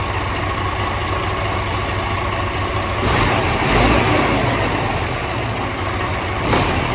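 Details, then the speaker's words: DAF CF85 truck diesel with overheating and top-end knocking, at idle: a rough, puffing chuff over the tick-over with soot around the manifold. An exhaust blow, suspected from the manifold gaskets, not confirmed. "so yeah we've got from start to do it's pretty easy it blows it sounds like manifold gaskets or something like that there's a lot of soot around as well"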